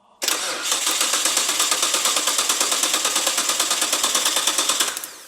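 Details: Imported Nissan GT-R under restoration, fuel pressure set manually to about 40 psi: starter spins engine at even quick beat about five seconds but never fires; crank no start, cause unknown (spark, crank angle, plugs being checked).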